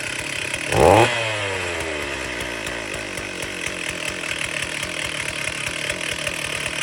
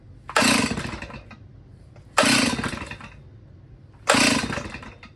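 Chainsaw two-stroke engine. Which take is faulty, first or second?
second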